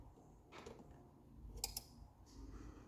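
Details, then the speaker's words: Challenger CH-1000 garage door opener, before repair, with the rail cut: sharp relay clicks with no motor hum after them. Sliding the white piece and the limit switch makes no difference; the opener clicks but the motor never runs. "so you can see you can hear it clicking but it doesn't run now if I slide this white piece over doesn't make a difference"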